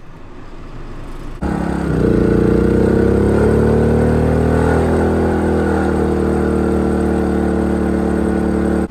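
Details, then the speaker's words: Small 2000 W inverter generator running a camper AC after fitting an SPP6 hard start capacitor relay: the compressor kicks on and the generator ramps up and nearly stalls, then settles into a steady even hum with constant pitch and no hunting, running normally. "okay i could hear the generator outside ramp up it did kick it on and it is running so it did almost stall it out but it's blowing nice cold air right now"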